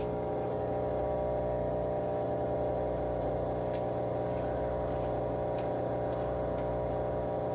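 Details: Whirlpool/Maytag WTW5105HC2 washer in factory diagnostic mode with the lid locked: the drain pump is activated and gives a steady, even electric hum with no rattles or grinding, which is normal operation.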